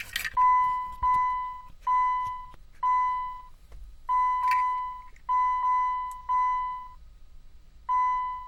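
Steady high-pitched beeps repeat in uneven bursts with faint clicks between and no engine running; an electrical fault keeping the Jeep from starting.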